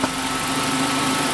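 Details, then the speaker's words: 1997 Renault Twingo 1 at idle after a coolant drain and refill (coolant was 3 years old): both radiator fans kick in. Steady, even fan whir over a smooth idle, no rattles or scraping; normal cooling fan operation. "ah ça y est les amis deux ventilos tourner"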